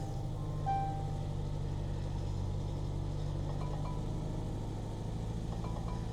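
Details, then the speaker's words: Jaguar F-Pace (Ingenium engine), 109,000 miles, cold morning at a salvage yard: low, uneven, loping idle with felt vibration and check engine, tire pressure and SOS warnings on. Rough running, cause unknown. "ignition is on she's just not happy she's not very happy at all can you feel the vibration yeah"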